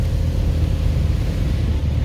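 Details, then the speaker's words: Seat Leon Cupra R 2.0 TFSI 265 PS on a test drive after repairing the cylinder 4 misfire (injector): hard pull with a deep, even engine rumble, no stumble or miss, windows open. "Fahrzeug fährt wieder, Fehler ist behoben. Jetzt machen wir gerade eine Probefahrt."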